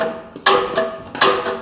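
Two light metallic ticks with a short ring, about three quarters of a second apart, as the blade brushes the counter blade; correctly set.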